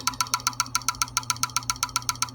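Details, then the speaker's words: Computer internal hard disk that hangs the PC at BIOS detection and won't let it into BIOS: sharp, even tak-tak clicking at about eight per second with no spin-up change. The drive has failed completely (click of death). "अभी तक अंदर जा ही नहीं रहा है समझ में आ रही बात और इसमें बहुत जबरदस्त आवाज आ रही है"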